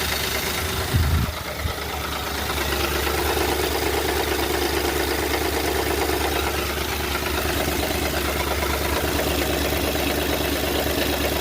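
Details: 2010 Ford Crown Victoria 4.6L V8 idling: fast, busy tapping from a loose timing chain, common when the plastic tensioners break. Fixed with a full chain kit replacement; the oil pan may need cleaning of plastic pieces.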